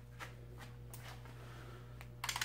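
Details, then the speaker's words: Non-working Ms. Pac-Man cocktail arcade machine: irregular sharp clicks over steady mains hum, then a quick burst, as the coin counter counts up on its own with no screen or start response; points to a logic board fault. "right, so the coin counter is just counting up. That's obviously not working the way it's supposed to."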